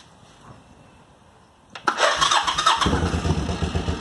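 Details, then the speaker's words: 1986 Suzuki Intruder 700 V-twin, hard-start fixed by tightening a loose bolt: brief quiet, short starter whirr, catches at once and settles into even, lumpy idle; normal start and idle. "so all I did was tighten that back up and then started the bike and it started right up for me"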